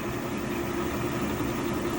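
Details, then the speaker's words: Cincinnati No.5 milling machine, Cat 40 milling spindle, set up on 440 volt: smooth even hum with steady low tone, no knocks, rattles or surges; spindle running quietly and healthily. "Runs really nice. As you can tell, it's pretty quiet."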